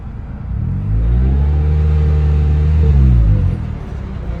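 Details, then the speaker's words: Turbo Toyota Corolla manual gearbox just after it failed on a third-to-fourth upshift, in gear: revs rise and fall over a rough grinding rumble from inside the gearbox. Reverse won't engage and the car then couldn't move. Internal transmission failure. "It is really I can't even get in reverse right now, but it looks like it might want to go forward, but it definitely sounds like something's grinding inside the transmission."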